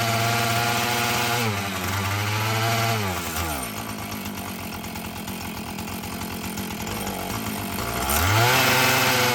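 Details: Husqvarna 445 chainsaw that had bogged when throttled, after cleaning and tune-up: it revs up crisply, drops to a smooth, even idle, then picks up cleanly again without bogging; it runs properly, though the diaphragm may need later adjustment.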